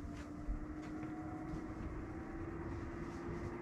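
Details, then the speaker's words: Webasto Thermo Pro 90 diesel heating system fans on a Garcia Exploration 45 sailing yacht, switched on from the control screen: steady low hum with a faint higher whir as the fans slowly come up to speed; normal fan run-up. "here it says wabasto fans bump so listen carefully and you'll hear the fans slowly coming up"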